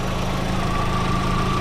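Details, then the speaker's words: 2004 VW Golf 2.0 at idle right after a new A/C belt install, compressor engaged and both fans running. Steady faint compressor tone with no squeal or chirp from the belt; the compressor turns freely, so the old belt alone was bad. "both fans are working you don't hear anything coming from the belt"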